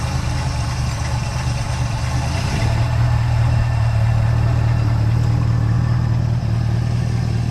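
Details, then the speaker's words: 1970 Pontiac Tempest V8: rough, lumpy idle with a deep uneven pulse and flat response, running worse than days before; ignition timing about eight degrees retarded. "But I will tell you, it's running like poof. And it was running good the other day."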